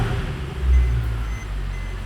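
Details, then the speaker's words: Mercedes C63 AMG Edition 507 coupe V8, cold start after a couple of hours' cool-down, following a PCV system fix. Deep, steady rumble with an even beat; the earlier ticking is gone, with no smoke and no check engine light; normal. "ticking nope we're good you can hear it a lot over here before no ticking whatsoever"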